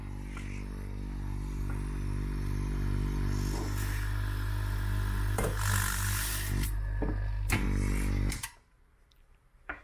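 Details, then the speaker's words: Corvette C3 headlight vacuum actuator tested with an electric vacuum pump: steady low pump hum about eight seconds then stops, no hiss heard; actuator holds vacuum, no leak after repair. "then you can hear again whether something hisses somewhere and something is leaking but here in In this case the whole thing worked"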